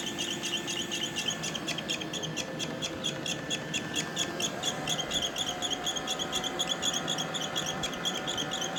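Sharp high chirping squeaks repeat about twice a second over a soft motor hum, a dry rubbing squeak as it runs.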